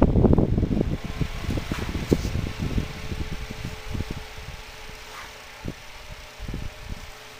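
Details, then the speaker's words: Classic 7-inch wicker fan, oiled and warmed up, motor once overheated and melted its plastic cover: whirring with irregular ticks and rattles from the hub that thin out; spins slightly slower than new, owner suspects warped, misaligned bearings. "my guess is why it makes those sounds and spins a little slower than when it did brand new is because when i overheated it it must have warped it or something now the bearings aren't in perfect plane anymore"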